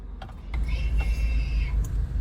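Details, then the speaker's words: 2017 Range Rover Evoque idling, shifting from park to drive: about a second of steady high motor whir as the electric parking brake releases, heard at every park/drive change; normal operation. "the parking brake releasing and every time you go from Drive to park so pretty much all day long you're just hearing this"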